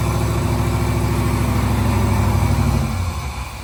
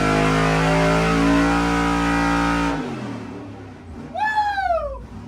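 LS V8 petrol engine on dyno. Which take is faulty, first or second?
first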